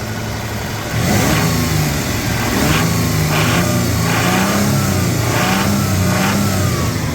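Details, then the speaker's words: 2000 Toyota 4Runner SR5 3.4L V6, warmed up after a trail day with a flickering oil light and raised idle: revved up and down, a dull uneven knock from the bottom end; engine knock when warm. "the bottom end sound that's what that sound is"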